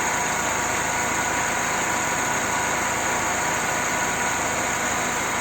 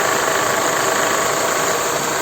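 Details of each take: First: Mercedes M111 petrol engine idling after the alternator belt damper was repaired (welded, both upper and lower rubbers replaced): smooth even idle, with no rattle or knock from the belt drive. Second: Mercedes M111 petrol engine idling: busy metallic rattle that seems to come from the valve cover but is the worn crankshaft/alternator belt pulley damper, changing with revving.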